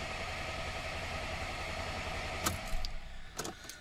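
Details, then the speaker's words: 2011–2015 VW Golf 6 Cabriolet, 1.4 TSI twin-charged petrol (CAVD/CTHD), 7-speed DCT, with an intermittent crank-no-start that also cut out on the road: steady starter cranking for over two seconds with no catch, then it stops. Engine turns over but won't fire. "this is a TSI and it's got an intermittent cranking no start fault also cut out on the customer on the road"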